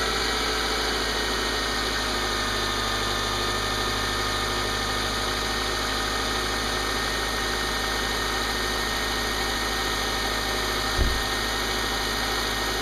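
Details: Subaru with P0302 cylinder 2 misfire, previously shaking with arcing coil pack, after repaired crimped spark cable: smooth, even idle with steady low hum, no stumbling or uneven beats; firing cleanly.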